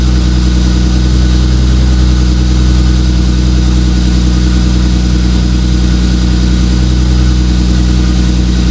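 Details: 2JZ-GTE twin-turbo swapped MKIII Supra, reassembled after turbo bearing/bushing failure with turbo blankets added: steady, even note, smooth low burble, no rattles, whistles or bearing scrape; running healthy.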